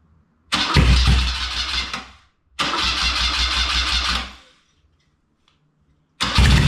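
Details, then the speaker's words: BMW R100 airhead on a cafe racer, first start after a full rebuild (new crank, connecting rods, rings, seals, gaskets, head refresh), Bing carb bowls just refilled; it catches and runs in short clean rumbling bursts with gaps, a healthy fresh rebuild. "all right i've refilled the bowls um probably get a bit more smoke from the sees and the uh cerakote burning in let's give her another belt"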